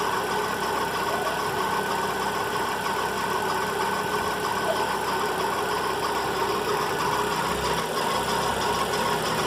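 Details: VW Fox engine noise in the morning: steady idle with a constant whirring, faintly rough ring over the engine from a noisy accessory belt idler pulley bearing.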